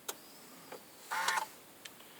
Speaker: pushing the button and and nothing that goes on it doesn't even say power on